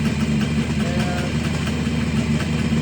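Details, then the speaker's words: 1969 Kawasaki H1 two-stroke triple, 40,000 miles, sat about 30 years, air cleaner off, carbs just synced with a tool: all three carbs idling equally, an even, steady burble with no misses or hunting; healthy idle. "So, all the three carts are now idling equally."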